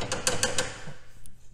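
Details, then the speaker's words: Can-Am Maverick Trail 1000 DPS after 600 miles on trails: four quick hard rattling clicks, then quiet, from the front rack, likely one side; play in the front rack hinge lets it knock even when fully tightened with spacers. Front rack hinge rattle. "there's a little bit of rattling in this front rack I think it's on this side"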